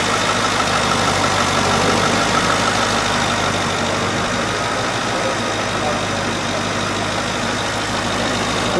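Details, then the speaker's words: 1937 Ford 2-door custom restomod, brand-new 500 HP V8, just started after oil-pressure interlock: even steady idle with smooth low rumble, no knocks or misses; normal idle. "One feature that you don't normally see in cars like this, the motor will not start till there's oil pressure. Okay. So now we have oil pressure. That is wonderful."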